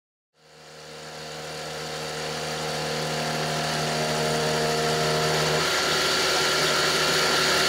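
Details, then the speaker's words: Grizzly G0704 CNC mill spindle motor: steady hum with rising noise, then the tone collapses into rough strained noise as the motor burns out and binds the endmill; a click follows as the power strip overloads. "you'll hear right when the motor dies and then a few seconds later after everything's bound up nice and hard and Linux CNC is still trying to go then there's a click and that's my power strip overloading and finally shutting everything down"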